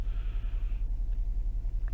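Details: Ford engine during scan-tool EGR test with EGR commanded off: low steady idle rumble, even pulses, no stumbles or hunting; DPFE and MAP readings back to normal, EGR system functioning.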